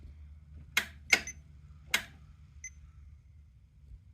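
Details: 2008 Polaris Sportsman 400 HO with good battery: three sharp dry clicks at key turn, no cranking; solenoid engages and passes about 10.6 V to the starter, but the starter motor is seized.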